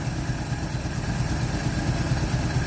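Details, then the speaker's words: 1948 Chevy inline six, off road since 1968, running on replacement carb without choke, old fuel: settles into even, steady low idle with regular firing, no misses. "idling even better oh yeah just thing yeah well no choke this thing's firing up running no choke"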